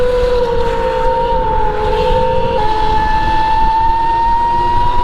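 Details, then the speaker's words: Arctic Leopard electric dirt bike, very torquey, under way. A loud, steady high whine rises with speed; the rider likens it to the sound of his Sur-Ron's primary chain: drivetrain whine. "Ooh, it's too loud. This sound is what it sounded like when I put the primary chain on my Suron."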